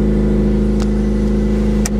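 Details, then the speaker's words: Project car idling with a loud, raspy, droning note and steady hum; an exhaust leak is suspected, possibly disconnected at the headers, to be repaired. Loud exhaust note. "To me, it just sounds like it just disconnected from the headers and stuff like that."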